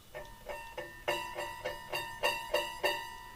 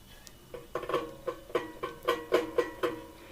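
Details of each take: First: Hegner scroll saw, blade plucked after tensioning with the tension lever: about nine crisp plucks each ringing a clear, steady musical note, the sound of a properly tensioned scroll saw blade. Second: Hegner scroll saw blade plucked with the tension slackened: row of dull, low twangs about four a second near 500 Hz, unlike a properly tensioned blade; slack blade needs the knob tightened.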